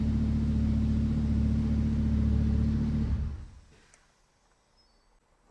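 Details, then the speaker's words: Lamborghini Huracan V10, wrecked-rear rebuild, first start after swapping engine control units, run briefly with no coolant: smooth, even idle with steady low pulse, then winds down cleanly at switch-off; normal idle. "I'm really happy the car started. I can't run it for that long. It has no coolant in it."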